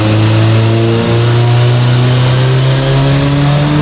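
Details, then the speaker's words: Subaru Forester STI build, stock longblock, Precision 6870 rotated turbo, on dyno now free revving: strong, steady note climbing smoothly under full load with no misses or stumbles; clean pull making 529 (422). "we had really clean pole made 529 422"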